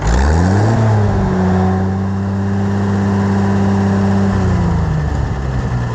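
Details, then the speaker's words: Oliver 770 tractor after its newly rebuilt carburetor was installed a second time (it smoked before from wrong fuelling); engine revs up cleanly, holds a strong steady roar and eases down without stumbling or popping; fixed. "I can live with this all right so I guess we'll call this a success it only took two tries but hey I'm just glad it's working"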